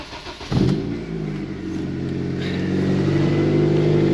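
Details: Nissan Primera with SR20 engine, taken off the road as a non-runner, started on a jump: brief crank, then catches and climbs into a loud, raspy, blatty idle typical of a holed exhaust; exhaust leak.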